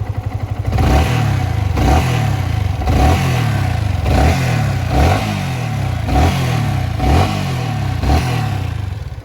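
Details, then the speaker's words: Yamaha R15 V3 single-cylinder blipped about once a second before valve clearance adjustment: light buzzing, vibration-type rattle over the beat, owner attributes it to loose tappets. "फिर पहले मैं आपको आवाज सुना देता हूं देखो आपको हॉकी सी आवाज ए रही होगी वाइब्रेशन टाइप की देखो"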